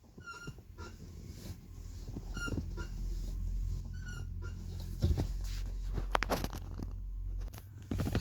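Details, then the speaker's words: Subaru with EJ20/EJ25 engine (2007+), high chirpy squeak with each clutch pedal press over low engine hum; dry pedal pivot, first fix is lithium grease on the pedal pin at the top. "so hopefully you heard that i'm squeaking now the first thing you can do and the easiest thing is grease that clever spindle at the top there"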